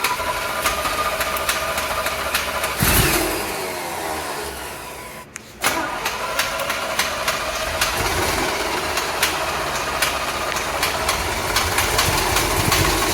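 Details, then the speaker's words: 1975 Chevrolet C10 on a crank test after fuel pump checks, where a bad diaphragm is suspected. The starter grinds the engine over at a sluggish, uneven pace for several seconds without catching: slow cranking, no start. "Sounds like it's wanting to turn over. I ain't doing nothing. Just slow."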